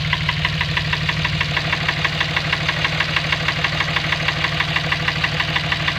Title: Dodge ram engine knock